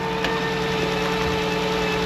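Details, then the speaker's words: Dodge Journey alternator whining loudly over the idling engine after connections checked good; charging test shows low voltage around 12 volts and the alternator is suspected of overheating, confirming a failing alternator. "I'm sure that's the alternator I'll put a extension pole on that and put it up to my ear but it's winding like crazy"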